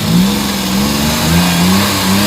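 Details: Suzuki mini van DA64/DA63 K6A engine, warm, after idle-up valve work for vibration: picks up and settles smoothly through light rev with no shake; normal revving.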